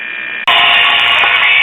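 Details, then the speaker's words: Late-1930s Montgomery Ward Airline battery-operated four-tube broadcast radio with the capacitor removed from the circuit; a loud, steady high-pitched squeal replaces the program audio as the set oscillates. "Now, right now I have the capacitor completely out of circuit. And this is all we get, just some oscillation."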